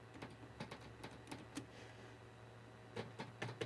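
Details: Dumble Overdrive Special #124 amp build during debugging: irregular sharp clicks, several per second, over a steady low mains hum. High voltage is believed present at the tube pin and the relays seem not to work; the source of the clicking is not yet traced.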